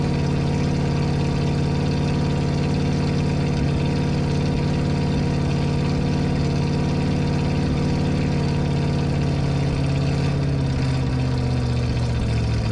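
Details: 1980 Ford F-350 service truck, freshly installed 460 big-block V8 with dual exhaust, first run after 20–30 minute break-in at 1300–3000 rpm; deep, even idle burble, steady lope, no knocks or misses: normal idle.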